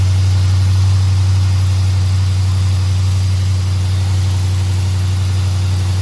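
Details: 2017 Dodge Charger R/T V8 cold start after aFe Silver Bullet intake install, checking for whistle; strong steady low rumble at fast cold idle, no whistle or tick; runs smooth.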